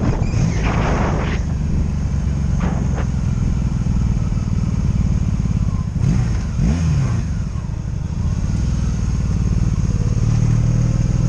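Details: 2002 Honda Magna VF750C V4, warmed up, on a road test after previously dying when put in gear: steady deep drone on the move with brief gear-change dips and a jerky transmission, no ignition cuts, stumbles or bucking; normal running.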